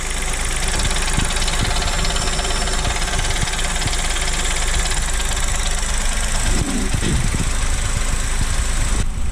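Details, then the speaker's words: 2023 Chevrolet Onix LT turbo manual, cold first start of the morning, heard under the hood: heavy uneven low rumble and knocking at idle, worse just after the brake pedal is released; mechanic called it normal, owner doubts; abnormal noise. "Pessoal, esse barulho é quando o carro tá frio. Aí pisa no freio."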